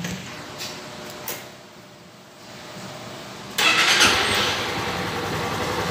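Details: Honda CG Titan 160 after restoring the TPS sensor for misfiring and not revving, no fault code: after a quiet pause it fires up cleanly and settles into a steady idle.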